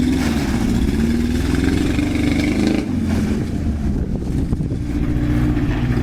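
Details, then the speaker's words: Truck that sat four years, running on fresh fuel added a few months earlier. Uneven, lumpy running with revs sagging and recovering under rain hiss. Owner suspects a fuel issue, possibly a rusty gas tank; unconfirmed. "alright says you can hear it's raining like a [ __ ] turd so I'm not sure why and probably a fuel issue this thing set four years in the gas tanks probably rusty"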